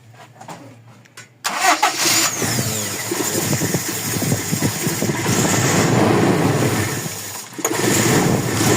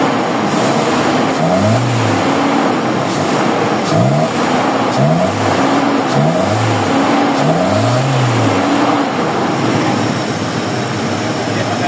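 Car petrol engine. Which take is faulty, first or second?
first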